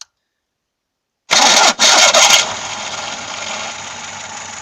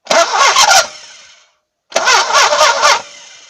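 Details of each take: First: VAZ 2106 (Lada) warm engine cranking: harsh high-pitched screech, worse when cold, with slipping during start; starter drive (bendix) worn, recently lubricated starter still squealed; new bendix fixed it. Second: VAZ 2106 starter after new bendix fitted, engine cold: two short, even cranking bursts with clean engagement and no squeal or slipping; earlier strong squeal and slipping cured.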